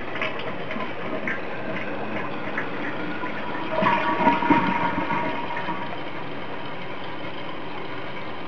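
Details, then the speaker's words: Toilet tank refilling after replacement of the water shut-off valve and the fill valve, which the owner suspected caused water hammer: steady hiss with a short surge midway, no banging or pipe shudder, so the water hammer is fixed. "Oh, here comes the moment of truth. Boom, boom, boom, boom, boom. Alright, no water hammer."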